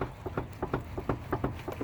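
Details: Honda Accord on a pre-purchase test drive: quick, uneven clicks about eight to ten a second over low road rumble, a knocking from the front wheel suspension. Upper ball joint suspected, not confirmed.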